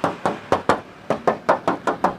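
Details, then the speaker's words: 2004 Suzuki Futura Realvan Type DRV body tap test on the rear panel: crisp, even metallic taps about four a second. Solid original steel with no dull filler spots. "Atas bawah semuanya masih bener-bener ngaleng. Nut seperti ini masih dalam, masih bagus, masih oke punya."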